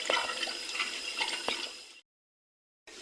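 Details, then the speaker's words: Freezer with suspected low-side leak after adding generic sealant, running near -8 °C, irregular fast gurgling and bubbling with no compressor knock; too much oil in the evaporator. "seguimos bien sigue haciendo burbujeo está el aceite tiene mucho aceite en el evaporador"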